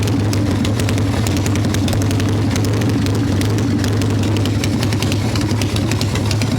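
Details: 1995 Harley Evo Softail V-twin, first start: loud lumpy idle with uneven loping and sharp ticking; owner suspects intake air leaks, idle screw janky; rough idle.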